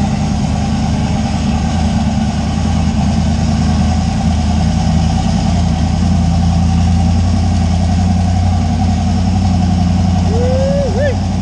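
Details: Steady, even low rumble at idle with no misses, knocks or hunting from a 358W 80mm-turbo Fox Body V8 just started after the injector ground was connected; idling smoothly.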